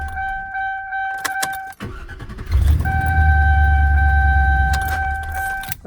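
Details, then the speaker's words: 2005 Chevy Express 2500 6.0 after replacing a bad starter: door chime, then quick, strong, smooth cranking with no grinding, clicking or whine. Normal starter cranking. "you got a good starter really smooth fast cranking no weird noises"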